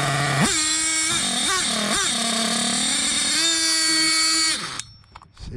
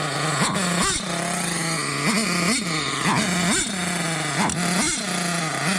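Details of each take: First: Hobao Hyper 7 RC nitro car, JL .28 engine on its stock carburetor; tiny engine screams, surges and dips unevenly on light throttle blips, then cuts out; erratic throttle response from faulty carburetor, later swapped for HPI carb. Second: Hobao Hyper 7 RC nitro car, JL .28 engine, with HPI carburetor replacing faulty carb; high buzzing engine revs up and drops back cleanly in quick blips, dog barking nearby; normal running.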